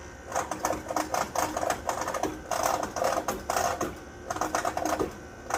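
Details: Trane XR outdoor unit, after running several hours late at night: bursts of rapid metallic rattling come and go about every half second, with intermittent thundering. It still cools fine. Owner suspects a bad compressor; the cause is unconfirmed.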